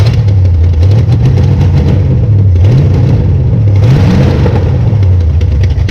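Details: 1966 Belvedere V8 after swapping a flooding cheap Quadrajet for a rebuilt used Edelbrock carburetor: even idle with three quick clean throttle blips, no stumbling or bogging; normal idle and revving.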